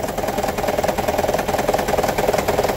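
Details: 2009 Toyota Prius 1.5 hybrid, engine bay, check-engine light on: idle with heavy uneven rattle and jerky pulsing beat; P0304 cylinder 4 misfire, coil swap ruled out, shorted spark plug and low compression found, fixed by replacing plugs.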